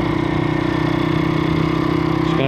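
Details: Stomp CRF70-style YX 160cc pit bike after valve clearance adjustment to fix running: steady, even thumping idle with no ticking or knocking; warming up and idling cleanly.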